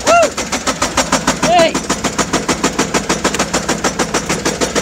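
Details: 2006 GMC 5500 with Duramax LBZ diesel, driven after losing oil pressure: heavy, loud metallic rod knock about three hits a second pounding over the engine; engine must be removed.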